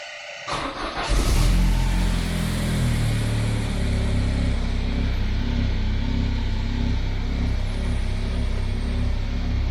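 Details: Citroen Xantia Activa engine, long-stored non-runner, starting after the fuel pump was run backwards then forwards off a battery: catches after a short crank and settles into a steady, even running note with no misses or knocks.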